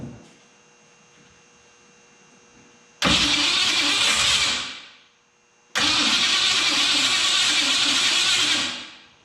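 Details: Neglected 1968 Mercury Cougar first start in 5 years after a washer fell out when the starter was removed: two short cranking bursts catching into a rough run, each cut off after seconds, no deep rhythmic knock; rods sound fine.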